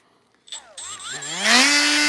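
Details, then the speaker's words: Heavily used Hercules power tool, cheaper thin-handle alternative to a Milwaukee: motor spins up with wavering pitch, then a rough high buzzing whine. It sounds worn, with loose shifting parts, and the owner expects it to break soon. "That don't sound good, right? Listen. Sounds nice, right? Sounds like it's on its last leg, right?"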